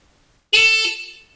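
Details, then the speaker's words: Motorcycle converted to 12V, horn triggered by holding the left button on the X21 Type-M control hub: clean, bright horn blast about three-quarters of a second, steady pitch, full volume; horn works normally. "And on the left side, we're going to hold the button and it's going to give us our horn."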